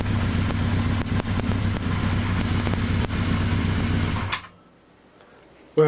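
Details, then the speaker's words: 1982 Kawasaki 750 LTD four-cylinder, first start after rebuild with new pod filters fitted, carbs not yet rejetted: lumpy beat with small stumbles every second or so before cutting out; uneven running, expected until carburetors are rejetted. "it still has to be rejected of course the carburetor and so it's not going to be running completely smoothly yet"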